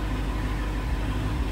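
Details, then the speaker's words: Rebuilt Dodge Hellcat V8 with history of bent rod and main bearing damage, check engine light with multiple misfire codes: deep uneven stumbling idle with dropped pulses; misfire at idle, owner suspects coil pack, cause unknown. "engine light came on and multiple soon or misfire so don't know what's going on"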